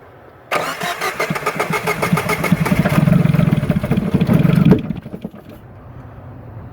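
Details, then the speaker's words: 1994 Geo Metro with electrical problems, starter fluid sprayed in with throttle wide open: rapid cranking about four beats a second, briefly catches and stumbles, then dies back to cranking; crank no start from fuel starvation. "all right we can tell there the engine fired over and try to run for a little bit now it's not creaking at all"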